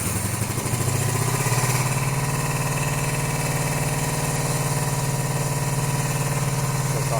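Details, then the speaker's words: 1982-83 Honda V45 Sabre V4 after valve adjustment and ultrasonic carb cleaning, cold start on full choke: lumpy, uneven idle loping about three beats a second, running on two cylinders until warm; owner suspects spark plugs or ignition coils. "it did when I did start it it did start on just two cylinders again so I don't know what that is"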